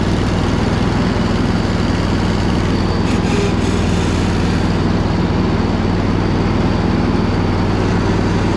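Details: Poulan Pro zero-turn with moss on the seat, sat about a year with a battery dated two years ago: a steady, even drone under load with the blades turning and no knocking or grinding from the quiet spindles. Normal running.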